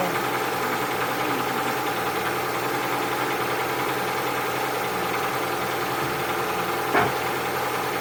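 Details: Cold engine at idle with a dull repeating knock riding over the run; owner suspects piston knock, unconfirmed.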